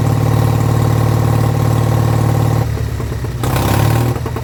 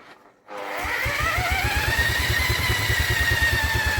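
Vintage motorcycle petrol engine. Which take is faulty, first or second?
second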